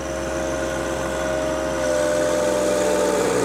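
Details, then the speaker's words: Standard John Deere 1025R diesel tractor with 3.8 hours, at 2700 rpm, loader driven into a pile with the hydrostatic pedal held fully down: steady drone drags down in pitch and grows rough, bogging until the engine stalls from overload. "all the way down all the way down and holding it there we go i pushed it all the way down held it all the way down killed the tractor"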